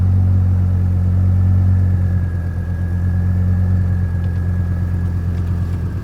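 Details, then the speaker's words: 2004 GMC Canyon after ignition switch replacement fixed a crank no-start with no fuel and no spark; fires and settles into a steady, even idle with a smooth low hum, no stumble, misfire or knock; normal idle. "Had to change out the ignition switch. I had no fuel and no spark. There it goes."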